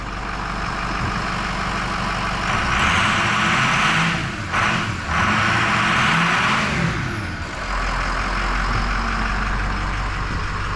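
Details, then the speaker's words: 2006 Ford 6.0 Powerstroke diesel after replacing an injector stuck open that pushed combustion gas into the fuel system. A smooth, steady running note, slightly rising and falling, with no more clattering or knocking; issue solved. "there we go hey she's not clattering and banging and knocking now sounds like a 6 liter"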